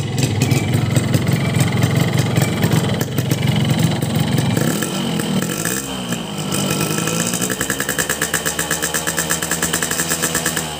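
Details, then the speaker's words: Cold two-stroke on ECCO 2T low-smoke oil, standard oil setting, Pertalite fuel, Crun block, carbon reeds, Boban C33 exhaust: uneven popping, rising and falling revs, then a rattly, harsh metallic idle. The owner hears heavy pinging and piston-ring friction; rough running, cause unclear. "dan untuk suara mesin juga kasar ya teman-teman ya ngelitik banget di mesin suara gesekan apa namanya tuh ring pistonnya itu kayak kedengeran banget teman-teman"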